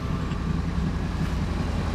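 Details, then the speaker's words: 2001 Ford F250 5.4 V8 plow truck after replacing the cylinder 5 coil and spark plug to cure a misfire, about 15 minutes running with no codes: smooth, even idle, steady low rumble, no misses; an exhaust leak remains. "I didn't hear anything. She's idling really, really well. There's a bit of an exhaust leak that's got to be taken care of."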